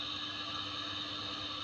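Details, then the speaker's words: Air conditioner running with compressor off: steady loud whirring and sharp high whine from the fan motor, still loud after the customer oiled it; worn fan motor bearing, later replaced, which stopped the noise. "Fan motor की आवाज आ रही है जिसमें की तेल भी customer ने तेल भी पाया है पर इसमें तेल पाने के बाद भी इसमें फैन की आवाज बत तेज आ रही है"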